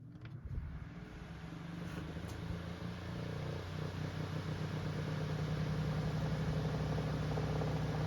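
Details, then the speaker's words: Kuo Horng KH-901 9-inch oscillating desk fan after cleaning melted plastic from bearings and re-oiling, missing thrust washer adds play: on high speed a hum grows to a steady buzzing knock in the fan head; vibration at high speed. "there pick it up you can hear you can hear it in the fan head now kind of knocking back and forth"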